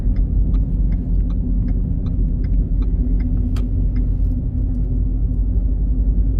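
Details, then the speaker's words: Ford Fusion Hybrid driving: deep steady roar with faint ticks two or three times a second from the rear; likely a worn wheel bearing. "All right. Can you hear that? That roar, roar, roar."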